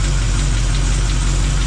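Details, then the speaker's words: Old truck engine with small RV cam, under 5,000 miles since build, lost compression on one cylinder: steady idle with light, quick tapping on top from one side; top-end ticking, owner believes a lifter. "that's in the top end though sounds like it's on this side let me put cut over [Music] here yeah I think it's on this side you guys hear [Music] that I mean that's a lifter I believe but"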